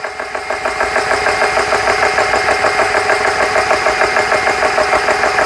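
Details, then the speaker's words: GX CS3 high-pressure compressor after repair, dead-head fitted and set to 4500 PSI, fans running: even, rhythmic pumping about three strokes per second, clean with no knocks as pressure climbs past 1,500–2,000 PSI; running normally. "Hit the start button and see it. Listen to it. Start turning. See if everything sounds okay. Sounds good so far."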